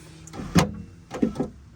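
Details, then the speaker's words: Porsche 996 door with the panel and speaker removed, window regulator running. A couple of short grinding clunks as the glass reaches the bottom of its travel; the noise typically occurs at full top or full bottom. The worn regulator is likely to break soon and is being replaced. "It typically makes that noise when it's all the way top or all the way bottom. So this is all the way bottom. So that's going to break soon."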